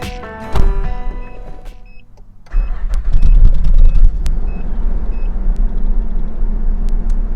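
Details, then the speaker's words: 1993 Nissan D21 Hardbody just after a fuel filter replacement: a short crank, then the engine catches and runs slightly shaky and lumpy at first while the fuel system re-primes. "you could hear that it started a little bit shaky because it was getting that fuel uh re-pumped"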